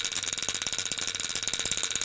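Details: Antique violet ray medical machine (design shown from 1893), argon-filled glass probe, arcing from the probe: a sharp, fast, even crackling buzz, mostly a high-pitched hiss, as the wand sparks normally at very high voltage.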